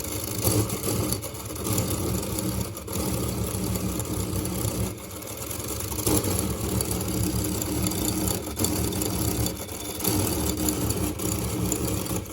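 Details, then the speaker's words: Homemade engine on 24-hour nonstop test: busy mechanical clatter with uneven lurch every second or two; limping run because the gear mount shifted, not from the piston. "mesinnya masih nyala cuman Suwaryo terpincang-pincang Joy tapi ini dari Gira bukan dari pistonnya"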